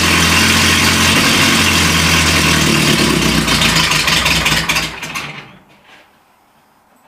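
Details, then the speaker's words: Renault Trafic van being restarted after 23 years unused, with a homemade exhaust and a Renault Express choke cable fitted: long, steady cranking at about three beats a second that winds down and stops without catching; the engine is still very reluctant to start. "C'est c'est pas dit que ça démarre parce que ça galère encore beaucoup à démarrer."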